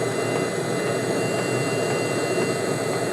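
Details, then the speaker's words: Webasto diesel heater running on high with a homemade replacement controller (555 modules, MOSFETs, no ECU): steady even roar with a faint high whistle, no sputter or drop-outs; heater stays lit and has not flamed out, normal running. "I'm listening. It doesn't sound like it's flamed out almost."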